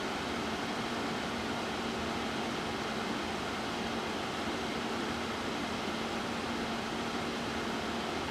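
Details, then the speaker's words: AMD AM4 Ryzen Wraith stock cooler fitted on an older AMD board, replacing an extremely loud stock FX cooler: soft, even airflow hum with faint steady tone, no rattle; quiet, healthy CPU cooler fan. "That's really cool. And it's much quieter than that noisy fan."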